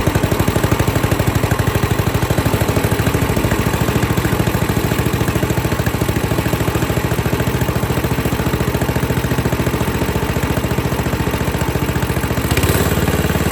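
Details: 8hp Tecumseh engine on a pavement roller after replacing the varnished original carburetor with a new one; steady, even single-cylinder chug at constant speed, no misses or surging, holding idle well; runs cleanly after repair.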